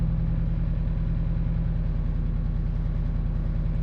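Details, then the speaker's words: High-power Mitsubishi Evo IX: deep idle with a lumpy, uneven pulse as cylinder 3 drops out. The spark plug and coil pack are ruled out, and an injector swap is planned next. "oh there it is I can feel it coming around okay we are misfiring now what cylinder is going down number three wow all right number three cylinder is going"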